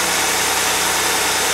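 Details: 2002 Mercury Sable after new plugs, wires, coil pack and valve cover gaskets: even, steady idle under heavy hiss, no stumble; engine runs smoothly with no misfire.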